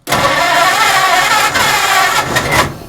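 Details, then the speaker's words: 1940 Ford Deluxe coupe barn find, flathead, first start attempt with a little gas poured down each carb/cylinder; loud uneven cranking with a few ragged near-firings that never catch; cranks but won't start. "oh it's trying let's put a little more gas down it"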